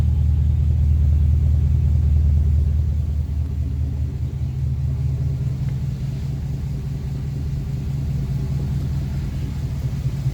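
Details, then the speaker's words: Restored 1956 Ford Victoria V8 with 47,000 miles on the odometer, pre-purchase inspection; deep steady idle burble, smooth, no smoke, misses, knocks or ticking: normal idle. "now we're running runs nice and smooth idles well see no signs of smoke or any issues it sounds nice"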